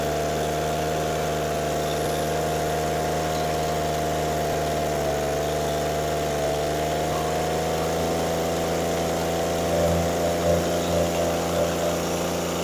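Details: Echo PB413H two-stroke backpack blower with new aftermarket carburetor, first start with choke on and primer primed, before mixture adjustment: steady, even fast-idle drone without stumbling or surging; runs smoothly.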